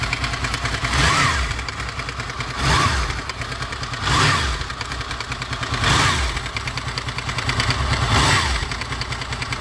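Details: Honda VFR800 VTEC V4, 58,200 km, idling: metallic clatter swelling and fading about every 1.5 s, loudest on right side from front cylinder; timing chain rattle, before timing chain replacement.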